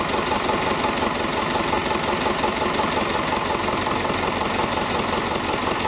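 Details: David Brown 1490 tractor diesel at idle, first run after engine rebuild: steady idle with a sharp knock about 167 a minute over the engine note; owner suspects fuel injection knock, injectors sent for reconditioning.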